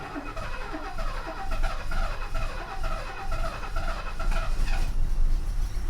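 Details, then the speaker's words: 1969 Mercedes 280SE after its mechanical fuel injection pump was repaired, timing set and an external fuel tank fitted, starting for the first time in years. Long uneven cranking at about two turns a second stumbles into a rough run. It lurches in gear because the shift linkage is disconnected. "she's alive oh my God she's alive and we're in gear holy crap okay hold on holy crap holy crap holy crap holy crap yes oh I could cry I really could"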